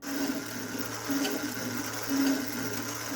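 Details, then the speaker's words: Demolition Man pinball elevator mechanism, previously sluggish and grindy. Elevator reconnected and motor leads switched so it runs in reverse. The small motor hums steadily with no labouring, seemingly working perfectly. "interesting so it seems to work perfectly it's a little hard to fix something that is working so not sure what to think about that"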